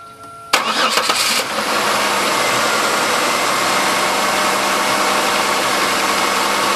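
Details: 1997 Chevrolet Malibu 3100 V6 with 75k miles starting cold and settling into fast idle with light uneven tapping; suspected piston slap, not confirmed; lower intake manifold done about 8k ago.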